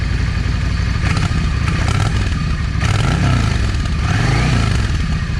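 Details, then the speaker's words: Cold Yamaha 650 V Star with a modified, drilled exhaust. Lumpy idle with sharp pops from the front (#1) cylinder exhaust. Owner suspects a clogged or undersized idle jet. It runs okay once warm. "Anyway, the way it's doing, it's telling me that uh that idle jet is clogged."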